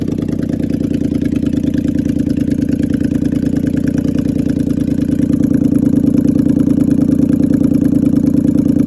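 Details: Toyota Land Cruiser V8 at idle: an uneven, chuffing pulse at about two beats a second over the steady rumble, pointing to a misfiring cylinder.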